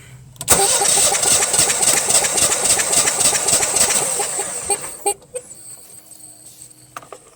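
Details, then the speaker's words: Generac/Honeywell standby generator model 60341, compression about 200, battery suspected weak; starter whirs with regular beats near 214 per minute for four seconds, cranking sluggishly and never catching, slow cranking speed. "now like i said that rpm there does not sound like it's up to speed it sounds like it's going really slow"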